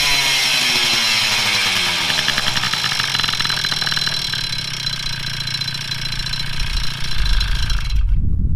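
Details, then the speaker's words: Two-stroke moped after crank bearing replacement and rebuild with new tires, started after rebuild: buzzy note revving and settling with a steady, even beat, no more bearing hiss or rumble; runs healthy. "Sounds much better. No more bearing hiss. That's it."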